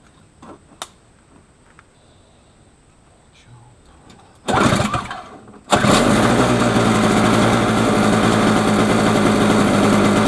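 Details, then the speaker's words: Snapper 17 LE snowblower with a new spark plug and fresh 50:1 premium fuel in the carb bowl, primed and choked: brief start attempt, then it catches and runs steady and even; normal running. "all right boys and girls we got us a nice running snowblower now let's uh clean out that gas tank and uh continue on"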